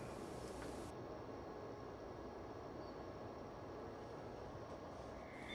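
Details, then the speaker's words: Winix air purifier (C535/C545/5300 series) after replacing the noisy fan motor with a new one: motor noise gone, only a soft even rush of air with a faint inverter hum in the background; normal fan running. "The motor noise is now completely gone. All you hear is the noise from the air blowing through."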